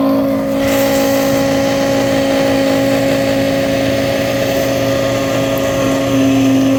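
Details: Frigidaire dishwasher loud during operation: steady droning hum with a fixed tone from a defective motor, which was replaced with a new one.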